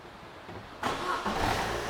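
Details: 2008 Opel Astra 1.4, previously misfiring with engine and battery lights on (P0141), cranking during starting-system voltage-drop test: engine catches at once and settles to steady idle; start voltage 11.1 V, test passed.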